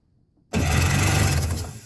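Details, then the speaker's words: Yamaha WaveRunner engine cranked with carburetor removed, both spark plugs out and lubricant sprayed into cylinders; starter spins it at an even, quick pace with no catching or labouring; turns over freely, not seized. "doing good I don't hear any restriction so we may just have something"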